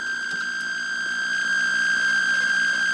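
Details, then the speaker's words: Atari Centipede cocktail arcade cabinet at power-on after its harness was washed and reassembled: a constant piercing high tone from the speaker over the game sound, caused by a shorted slam switch; the speaker and AR2 board were ruled out. "Power it on, and we're getting that terrible noise there."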